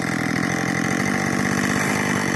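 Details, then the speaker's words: Rebuilt Husqvarna 562 chainsaw built from three saws, intake and transfers ported, AutoTune: fast, even two-stroke burble at idle, steady with no hunting or stalling; idles cleanly. "yeah park it up that idle see if you running perfect man that thing"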